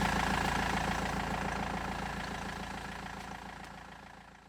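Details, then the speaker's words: BMW E91 320d diesel idling after turbo replacement and new crankshaft pulley; steady clatter with even pulses about four per second, no rumble or rattle, earlier rumbling gone — normal idle. "now it seems to be running fine no more rambling uh everything is fixed"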